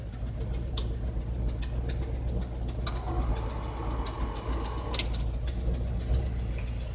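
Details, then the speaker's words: 1978 Ford F150 heater blower motor running through its speeds: a low, even fan rumble with no squeal or grinding. It made a horrible sound when first bought but now runs quietly. "the nice thing too is the heater the blower motor it's actually quite knit down now it's a lot better what it was and I was checking something real good heat our speeds work"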